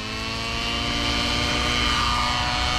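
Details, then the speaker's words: Nitro RC helicopter, OS 55 AG engine, power boost pipe, No. 8 glow plug, 30% heli fuel, spooling into hover on mid needle: high buzzing note, soft and blubbery, no power on climb-out, very heavy smoke; running far too rich. "super rich now watch that climb out no power smoke is ridiculously heavy okay climb out no power Smoke's getting thicker so we are rich"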